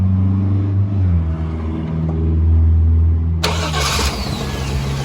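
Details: 1998 GMC Sierra SLE after fixing a corroded positive battery terminal and fitting a new battery (alternator recently replaced): brief cranking, engine catches immediately and settles into a steady idle; clean normal start.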